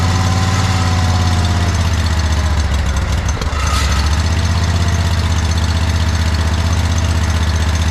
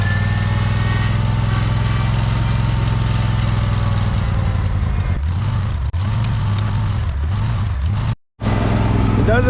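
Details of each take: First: John Deere 317 lawn tractor with Kohler Command 18 hp engine, after fitting a new fuel pump; low even drone, no stumbling, knocking or surging; no leaking, runs pretty decent. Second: Free John Deere 317 lawn tractor, repowered with Kohler Command 18 hp engine, sat many years: idle wavers, sags and surges unevenly; rough idle that clears with throttle, owner suspects old gas of unknown age.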